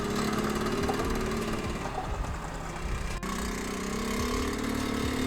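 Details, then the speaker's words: 1978 Honda Z50A single on first ride before rebuild, smoking, with poor compression said to gain about 10 psi after running: buzzes unevenly as revs rise and fall with an irregular tapping under the exhaust; engine knock, cause unconfirmed. "That is the first ride complete. I think that's quite successful. It knocks and it smokes, but it runs."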